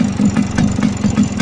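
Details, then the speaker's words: Two-stroke motorcycle idling in neutral during a used-bike check. Light, even ticks about five a second ride over the idle. The owner says the bike has a piston problem; piston or small-end wear is suspected but not confirmed. "currently my bike is facing a pistol program so you can listen to this that is coming from this right like tick tick tick tick ticking"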